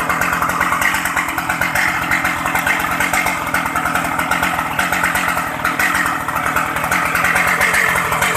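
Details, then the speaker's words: Shindaiwa 757 high-power chainsaw with 60 bar and One Pro carburetor, starts easily, oil pump OK: even, fast two-stroke burble holding steady without misses or surging; revs high, strong, smooth; normal idle. "Tua máy cao, máy mạnh, bốc. Máy êm mọi người nhé."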